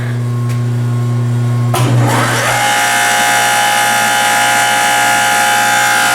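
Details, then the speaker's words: Log-splitter-converted forging press (25-ton County Line) hydraulic pump on three-phase motor via phase converter: motor spins up in about a second, then loud steady high-pitched whine over hum; noisy pump, owner unsure whether it will quiet or worsen. "and you might want to turn down your sound [Music] because like I said this sucker is noisy"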